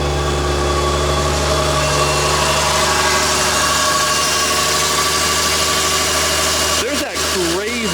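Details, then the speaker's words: Engine idling while being brought to operating temperature: a tinny, uneven metallic rattle on the intake side that gets worse with throttle. The intake is suspected but not confirmed. "coming from the intake side it's got to go in the trash do you hear that in the camera i i think that's just the intake it is now that sounds kind of shitty"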